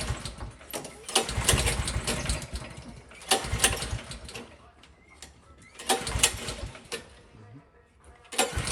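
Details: Honda GX 270cc single-cylinder kart engine after restoration/repair: revs up and drops back in repeated bursts, picking up cleanly each time; runs properly.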